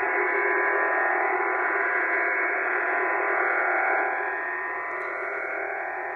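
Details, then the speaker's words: HF receiver on the 40 m band, signal drifting from 7.187 to 7.189 MHz at about S9: a steady, fast pulsing buzz of about four beats a second, which is over-the-horizon radar interference. "it's not uncommon to find things like this on the high frequency bands it's uh the bane of many high frequency operators lives on its radio"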